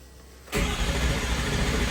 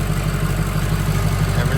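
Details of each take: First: First startup of a freshly built diesel in a mud truck, fresh batteries and a 6.4 starter: fast, even cranking with no catch after priming, still building low (oil) pressure, so long crank, no start. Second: Freshly built diesel in a mud truck just after first startup and restart: steady, even low rumble at idle with a regular beat and no misses or knocks, running good with no major leaks; normal idle.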